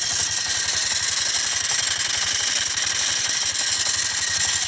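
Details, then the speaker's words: Yamaha Mio Smile: a harsh, gritty scraping grind from the CVT at idle, and the rear wheel does not turn when throttled. Cause: a loose front pulley nut with the fan rubbing its case. "Tiba-tiba di CPT-nya ada bunyi kasar, entah apa ya, belum saya periksa dan belum saya tes."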